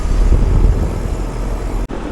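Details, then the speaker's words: Florida outdoor HVAC unit after most electrical was bypassed, defrost board still to be quoted: steady low compressor and fan rumble, even with no knocks or rattles; running normally, pressures looking good. "Alright, this is on, it's running, pressure's really looking good."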